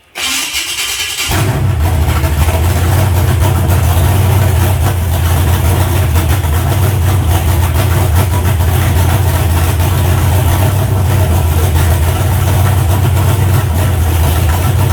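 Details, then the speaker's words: Freshly built 388 small-block Chevy V8 for a four-door Chevelle, fire-up with timing not yet set; brief crank, fires at once, settles into a deep, even idle without knocks or rattles; good oil pressure; healthy. "all right chris's motors i got all my electrical stuff took off of it she's fired up run everything seems to be fine so good oil pressure got it up to about 160 degrees"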